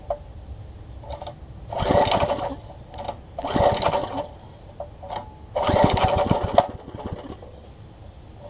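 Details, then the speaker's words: Troy-Bilt Tuffy rear-tine tiller after reassembly, with a new fuel pump diaphragm replacing a cracked one. Several short bursts of firing, each catching about a second then dying. Owner says fuel is being drawn up and suspects the fuel pickup. Starts but won't keep running. "but now I know it's bringing gas up it's just not it's just my holding it for some reason so here we go"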